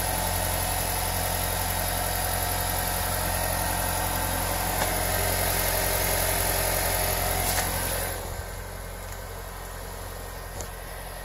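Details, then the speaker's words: 2017 Honda Civic after cleaning and lubing the CV boots with dry Teflon lube: steady engine and driveline hum, front rubbing/screeching noise gone. "put another coat on and then now check it out perfect silence check it out"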